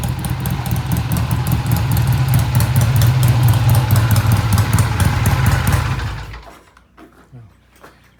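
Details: 1967 Triumph twin after sitting a while: low, lumpy beat stumbling unevenly at low revs before fading, smooth only above 3,000 rpm; low-rpm misfire, before carburetor jets cleaned.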